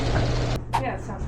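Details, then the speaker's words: Screw-drive garage door opener after spring replacement and service: steady smooth motor hum, no screeching or grinding; the carriage teeth are not worn. "You don't hear the screeching. Yeah. It sounds so much better."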